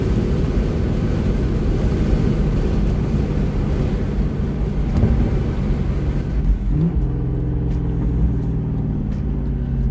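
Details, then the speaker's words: Lexus LS400 V8 with rear-mount turbo project driven on the road at about 3 psi manifold boost: deep steady drone, pitch stepping after a shift near seven seconds; smooth and healthy under light boost. "sounds bloody beautiful [Music] rather a demamp so 3 3 psi what a glorious sound"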